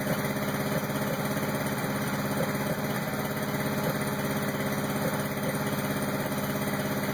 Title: Rough idle 86 crx